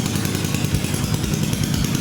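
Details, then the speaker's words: Homemade kart with Suzuki GS500 motorcycle twin engine, newly fitted exhaust and coils, started by fuel, power and a negative start signal to the coil (start button faulty); loud raspy fast steady exhaust beat, no misses, running on its own. "we have gas and power here we give the coil a negative start signal and there it is"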